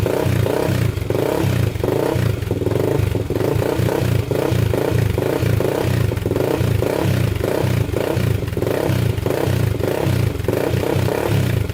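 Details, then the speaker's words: 1999 Honda 400EX quad after an engine rebuild, first start after sitting two days with the choke on: a single-cylinder idle with steady thumps and repeated throttle blips for break-in, crisp with no misses or smoke; normal running. "man that sounds good no smoke coming out the back so we're still good there sounds really good"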